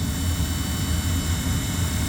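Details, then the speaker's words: Furnace just reinstalled and sealed with tape, running and blowing hot air: a steady low droning rumble with a slight whine from the blower, louder than it should be; the cause is unknown, and the furnace may need to come out again. "what sucks is I'm probably going to have to pull the furnace out again because that's a little loud know you hear it it's a little bit of a wine"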